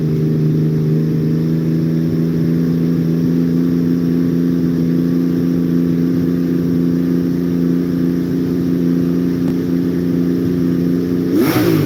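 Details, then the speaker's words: Motorcycle cruising in top gear at about 3,200 rpm highway speed; steady even drone with deep exhaust note, no knocks or misses — normal steady cruise. "When you hear me holding a steady RPM, that's what she sounds like when I'm going down the road. She usually runs about 3,200 RPM at highway speed in final drive."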